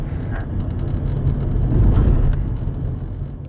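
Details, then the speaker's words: Hyundai Getz on test drive after clutch kit replacement (worn pressure plate, no pulling power, hard shifting) and oil pan gasket replacement for oil loss; smooth engine and road sound swelling and settling evenly, no slipping, knocking or grinding, runs fine. "aracımızı test sürüsünden geldi hiçbir problem yok Araç sahibine teslim ediyoruz"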